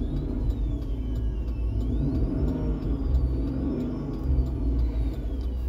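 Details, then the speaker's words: 2010 Chevy Tahoe with the radio on: a high whine in the speakers rises and falls with engine speed each time the gas is pressed, over a low cabin rumble. It is caused by a failed rear audio control unit that needs replacing. "I'm gonna be quiet so you can hear the buzzing sound every time I press the gas"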